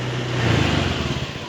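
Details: Fuel-injected motorcycle, engine running and warming, scanned with JDIAG M100; throttle opened from idle, ignition advancing with throttle; note climbs smoothly with even exhaust pulse, no knocks or misses; normal rev.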